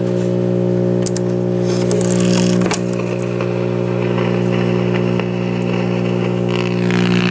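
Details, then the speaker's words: 1950s AA5 tube clock radio with a Telechron clock movement gives a loud, steady low hum with no station sound behind it (antenna wire disconnected); mains hum from failed filter capacitors, volume control possibly also bad. "I've already plugged it in, so we have bad filter capacitors in it, and possibly a bad volume control."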